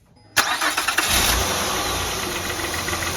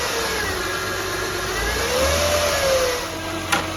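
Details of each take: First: 2003–2008 Honda Pilot restarted with the alternator connector unplugged: quick crank, then an even, quiet idle with no whine, confirming the rpm-rising whine came from the failing alternator. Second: 2003-2008 Honda Pilot engine with a thin steady whine that rises in pitch as the engine revs, heard via stethoscope at the alternator housing: alternator whine; alternator replaced.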